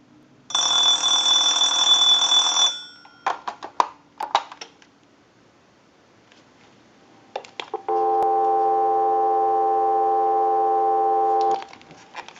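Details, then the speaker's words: Clear Trimline telephone, bell adjusted and held up off the towel: a bright warbling ring burst for about two seconds, taps, then a steady dial tone. It rings and gets a dial tone normally. "we're just going to go ahead and hold the telephone up so that you can hear the ring cycle properly we'll let that go a few times I'll let it go one more time and we'll give you some dial tone"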